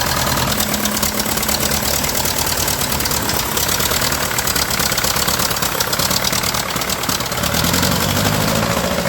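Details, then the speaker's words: Ferguson TEA20, British Standard engine, after fixing the manifold exhaust leak and trying another carburetor: harsh, crackling, ragged idle persists; owner suspects it needs a valve job, with a broken valve spring found. "That engine is in really, really, really bad shape. I tried another carburetor on it. I've tried everything, and I just can't get that crackle out of it."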